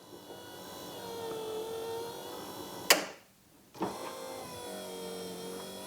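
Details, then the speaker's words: Third-gen Camaro IROC rear hatch pull-down: the replaced motor gives a short whir, a sharp latch clack, a pause, another clack, then a smooth hum. The hatch now cycles normally after loose, dirty wires were fixed following the motor and slide replacement. "All right, pretty confident there. So that's good news. That was really just gross, loose wires."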